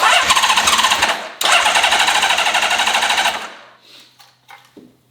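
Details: Honda CBX inline-six, first start attempt in 20 years after full carb rebuild: starter churns in a steady chatter about three beats a second for three seconds, never firing; crank-no-start. It started after more fuel was added.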